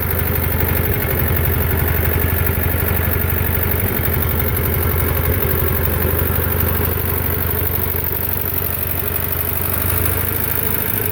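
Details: Belarus 250 tractor, two-cylinder air-cooled diesel that sat for years, at about 3/4 throttle: an uneven, surging chug that struggles to hold speed; it only runs near full throttle, from fuel starvation by debris fouling the lift pump valves.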